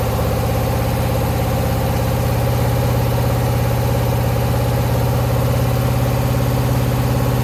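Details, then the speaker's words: 2009 Subaru Forester X NA EJ253, remanufactured OEM heads, third start after engine install: deep idle with a regular stumble, around three lumps a second; one cylinder missing; owner suspects cylinder 2 misfire from cracked head or water in block. "Okay, my working theory is that from the cracked head, it's still got a cylinder 2 misfire."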